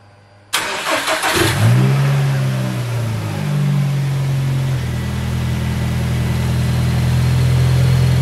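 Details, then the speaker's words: Car after relocating the MAP sensor, with a shorter vacuum line to the vacuum block: a quick clean crank and catch, a brief rev, then a steady even idle with no hunting or stumble. Runs smooth; the relocation made a difference. "so there you go guys cars turning on nice and smooth I can already tell I made a difference changing the map location um yeah everything running smooth"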